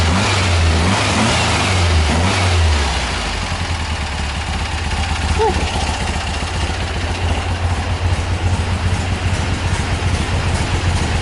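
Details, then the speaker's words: 1973 Volkswagen Thing with newly installed dual carburetors, first start in 2 years; engine revs then drops to idle with quick, fairly regular light ticking and some whirring, generator also noisy; valve train noise, probably needs a valve adjustment. "that's some pretty good valve train noise I don't remember if I even adjusted that I think I did probably needs a valve adjustment"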